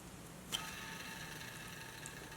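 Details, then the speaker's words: Waterloo FP15A fireplace dual fan blower motor, bearings heat-damaged: a sharp click as it's flicked, then a dry gritty whir with thin high hiss spinning down; bearing grease has probably cooked out from fireplace heat. "that sounds awful. Let's clean the output shaft a little bit. At least attempt to. It's probably some of the failed bearing grease that has flown out of these bearings from the high temperatures of the fireplace."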